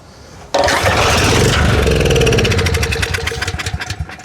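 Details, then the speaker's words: Storm Responder generator (Briggs 10 HP type) on fuel squirted in: it catches right away and runs evenly for a few seconds, then fades as the fuel runs out; the engine sounds good but no power output was seen. "H engine sounded good, but I did not see any power."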